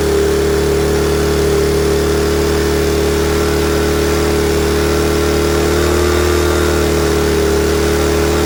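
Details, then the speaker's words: Honda EM400 generator run with its governor linkage exposed: small single-cylinder engine holding a high, steady, strained drone with no dip or hunting, the governor pulling the throttle wide open so the engine overspeeds. "the governor wants to be all the way on pulling the throttle all the way open in this position anyway we'll get to that"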